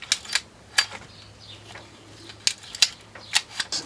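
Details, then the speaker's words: Vintage army Tirfor TU-16 winch ratchet; crisp, light metallic clicks in short bunches with no grinding or dragging show it working freely and smoothly. "Sounding a lot smoother now, so that'll be good."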